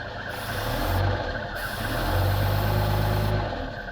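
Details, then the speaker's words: 1949 Rover 75 P3, 2103cc inlet-over-exhaust engine, bonnet open: smooth idle, then two quick throttle blips picking up evenly and settling back, belt audible. Lever used may have been the choke rather than the throttle. Healthy running. "But let's actually lift the lid and listen to this engine. And mostly what you can hear is the belt."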